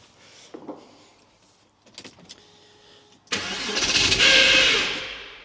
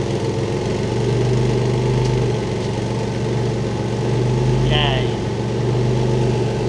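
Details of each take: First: Early 2.5 Porsche Boxster 986 after air-oil separator replacement: quiet, then engine catches suddenly with a harsh, hissy roar that swells and fades unevenly; rough struggling start, owner suspects PCV system still leaking. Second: Early 2.5 Porsche Boxster 986, fixed after air-oil separator replacement: even note swelling and easing with each throttle blip, no knocks or misses; healthy.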